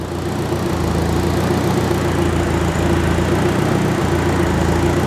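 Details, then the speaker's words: Turbo K24-swapped Subaru BRZ at first startup while bleeding coolant, hoses hot: steady, even warm idle with constant airy rush as cooling fan one then fan two kick on; normal warm idle with both fans running. "oh there we go fan one just kicked on biscuit it's hun it's it's looking not too bad oh sorry F fan two just cut on that's good so we got both fans"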